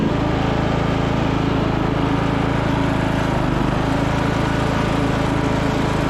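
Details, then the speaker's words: 1996 Craftsman LT1000 lawn tractor single-cylinder engine after replacement used muffler and new coil, on jump pack: steady, even drone, no misses or knocks; normal running. "the new used Muffler is installed the engine cover put back on got a new coil the jump pack on let's see if we'll start up all right that sounds a lot better"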